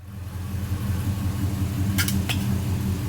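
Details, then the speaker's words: 1969 Dodge Charger with swapped 6.4 Hemi V8, warm idle while coolant temperature rises (thermostat should open at 203), after replacing the squealing pulley below the water neck: a steady, even idle with only light injector ticking and no squeal. Normal idle. "You can hear that squeaking noise is gone. All you hear is injectors now. It sounds a lot better."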